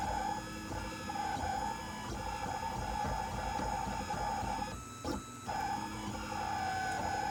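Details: Printrbot Simple 1403 3D printer, new: steady fairly high whine during printing, briefly dropping out with moves, over busy mechanical clatter; owner suspects X-axis movement, unconfirmed.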